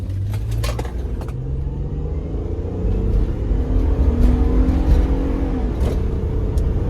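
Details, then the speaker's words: 2004 Honda Odyssey J35A 3.5L after burnt valve, head gasket, motor mounts, water pump and timing belt repair, test drive from a dead stop: smooth, even pull with rising note and smoother shifts; power steering pump noise suspected from inlet air. "that's pretty impressive i don't know this girl hasn't sounded this good in a long time it's really made a big difference it's shifting smoother"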